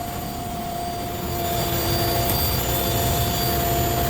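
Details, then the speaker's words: Car idling with AC/heater on and radiator fan spinning continuously; steady rushing roar with constant whine that swells slightly, apparently from the radiator fan; no check engine light; cause suspected, not confirmed; radiator fan later replaced. "Ayan, may makining, no? Tingnan natin kung magbabago, takbo mo sa labas."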